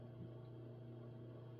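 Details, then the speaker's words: ILG Model 123 fan's serviced 1/20 hp GE unit-bearing four-pole shaded-pole motor, bare, started at full speed: quiet, steady low hum with no knocks or scraping; runs smoothly with a more aggressive full-speed sound. "I guess I might as well do do a full speed start up as well. Definitely uh it didn't roll as much as I expected. Definitely has a more aggressive sound on full speed."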